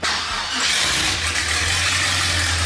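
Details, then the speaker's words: LS-swapped Mustang with 4L80E, started after plugging factory VSS into rear output shaft: fires straight away into a steady deep idle under hiss, no knocks or misses; sounds good. "it does sound good"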